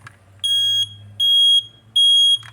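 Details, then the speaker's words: Smoke alarm sounding its standard pattern: three loud, shrill, equal-length beeps at an even pace; carbon monoxide alarm uses four beeps instead. "that's a that's a smoke if you hear a four beep"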